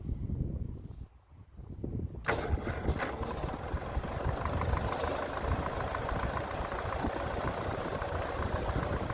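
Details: Massey Ferguson TEA20 tractor after a service with new points, fresh oil and filter: starts at once and runs steady and even with no knocks as oil pressure comes up.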